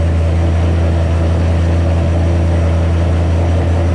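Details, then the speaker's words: 2007 Ford GT500 supercharged V8 at first start after L&M NSR cam install with Venomous tune: steady deep drone held well above normal idle with no dip; fresh tune holds idle too high, later revised down. "pretty much you saw the car start up idled real high let it go i was looking around at stuff and turned it off"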